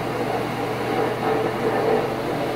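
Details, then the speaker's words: Stackable washer-dryer combo after repair of its loud racket: steady, even whir of the drum spinning with a smooth pump hum as water drains, no knocking or scraping; now much quieter than before. "check this out don't spin this and the waterfronts out it's going to be much quieter than it was"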